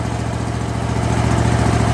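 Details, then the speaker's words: Kohler 7000 series engine on a zero-turn mower after a rebuild that cured surging. Steady, even idle with a regular firing beat and no surging, hunting or coughing; it runs clean and smooth. "it's ridiculous how great this runs now watch this no surgeon it's running clean crisp and smooth"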